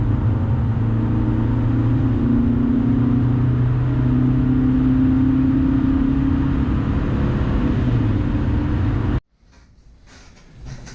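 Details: 2000 Honda Civic, cat removed, eBay header with test pipe, OE muffler and new 18-inch by 3-inch resonator added, accelerating hard 0-60: smooth, steady low drone climbing evenly, no rasp or rattle; quiet, healthy exhaust.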